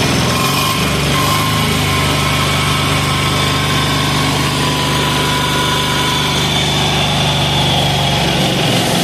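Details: 186FA single-cylinder diesel running on Road Tech synthetic blend 10W-30 motor oil as fuel at about half throttle. A rapid, steady clatter at constant idle speed with no misses or stumbles; it runs evenly.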